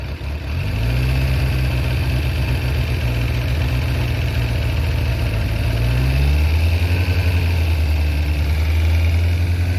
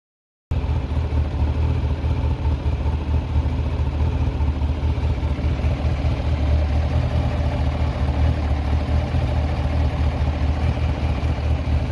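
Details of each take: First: Kawasaki ZZR1100 four-cylinder engine idling and revving briefly with a light metallic rattle: camshaft holder bolts loosened in worn aluminium threads in the cylinder head; repaired with Helicoil inserts. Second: Kawasaki ZZR1100 after overhaul, worn camshaft mounting bolt threads in the cylinder head repaired with Helicoil inserts to cure a rattle: motorcycle idles with a deep, steady, even exhaust beat, no rattle or ticking.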